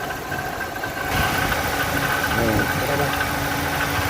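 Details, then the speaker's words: Fiat Doblo 1.8 at idle, noise from the belt area: faint whirring chirp over a steady idle from the belt end; water pump bearing suspected. "se Vocês ouviram Esse é o barulho que está acontecendo tipo bomba d'água dela há pouco tempo"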